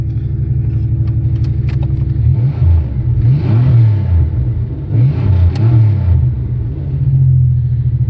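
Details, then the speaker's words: 1989 Chevy Cavalier after new fuel pump: engine catches, settles into a steady low rumble, then two smooth revs rise and fall, no knocks or misses; running normally. "and there she is she's alive"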